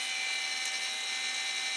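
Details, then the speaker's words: Creality Ender 5 Plus 3D printer ring duct with two part-cooling blower fans at 100% fan speed: loud, steady high-pitched rushing whir with fixed tone, no rattle; pretty noisy, owner plans to tweak to reduce noise. "that's pretty noisy there i don't know if you can make that out turning"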